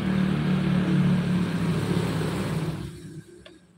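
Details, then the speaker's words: Two-stroke motorcycle (RX) revving with a coarse, uneven rumble and no clean crisp note, lacking power; owner first suspects poor compression and heavy reeds; found off-centre cylinder bore and cracked piston. "Oke, dari suara mesinnya teman-teman bisa dengar, dan ini motor tenaganya kurang maksimal. Masalahnya kompresi kurang rapat, kedua membrannya terlalu berat."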